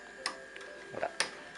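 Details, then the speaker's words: Live-steam model locomotive, cylinder oil pump: crisp light ticks about a third of a second apart over faint air hiss, made by a small spring pressing a pawl against the ratchet crown; normal oil pump ratchet clicking. "alors le bruit caractéristique que l'on entend justement est provoqué par le le petit ressort qui fait plaquer une petite languette sur la couronne"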